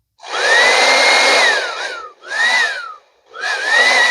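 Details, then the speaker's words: Revlon hair dryer that cuts out sometimes. It roars up, then drops out and surges back twice as the cord bends at the strain relief. A broken wire in the cord there is suspected. "Now, guaranteed, okay, something in that spot, the wires are going to go in here and up to, somewhere in here to start branching out to the buttons and things. So guarantee that the problem is going to be a broken wire right here."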